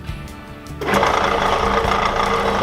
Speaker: hear how much this chatters. That's not round yet, it's not over here. But in the center it is round, it's not smoother.